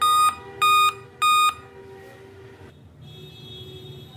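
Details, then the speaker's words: Dell laptop powers on and shows display but beeps intermittently, three short even high beeps about half a second apart, continuing after boot; BIOS beep code from a failed CMOS battery. "Laptop on करने पर अगर आपका भी laptop beep कर रहा है, देखिए laptop हमारा ऑन हो रहा है, डिस्प्ले भी आ रहा है, लेकिन बीच बीच में बीप की आवाज़ आ रही है।"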